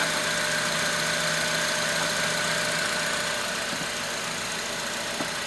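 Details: 2006 Honda Element idling with a faint, fairly regular ticking about three or four per second over the hum; owner suspects the timing chain tensioner, not confirmed.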